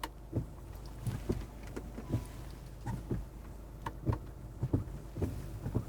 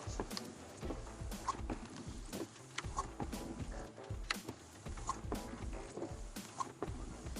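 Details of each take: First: Mercedes-Benz wiper heard from inside the cabin in fairly heavy rain after hand-adjusting the blade link arm pressure: soft regular swishes about every second, no chatter or squeal; much quieter and smooth. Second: Windshield wiper juddering chatter ("da-da-dak") repeating each sweep, roughly every three-quarters of a second, with no oil film on the glass; blade skipping.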